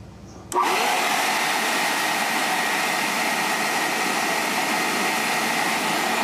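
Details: Hoover SteamVac Deluxe brush turbine motor after oiling its dry, dragging shaft bushing and reassembling: motor snaps on and spins straight up to a steady, even high whine with no drag or wavering; normal motor run.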